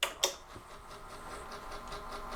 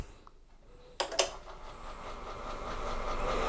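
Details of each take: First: AT&T 3B2/310 Unix computer (c.1984), first power-on with floppy cables connected: sharp clicks then soft pulsing whir as the floppy drive spins constantly, later giving up on booting from it; cause unknown. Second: AT&T 3B2/310 Unix computer (circa 1984), hard drive reattached, power-on test: click then smooth whine climbing steadily in pitch as platters spin up; healthy spin-up, boot not yet confirmed.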